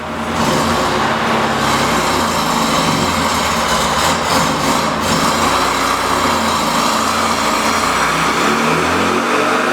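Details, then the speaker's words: Neglected 1600 dual-port air-cooled VW Beetle flat-four on dyno, timing set to 26° initial (about 30° total) plus slight carb adjustment: steady loud full-load roar, even pulses, no knock or misfire; 48 hp, healthy, smoking less. "48 so timing makes a huge difference timing and a little bit of carb adjustment"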